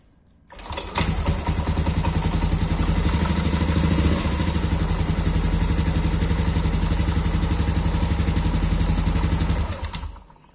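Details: Yamaha Aerox after routine flywheel magnet and coil maintenance, test start before covers go on to confirm magnet nut is tightened: starts cleanly, steady even putter for about nine seconds then shuts off, no knocks or rattles. Normal start and idle.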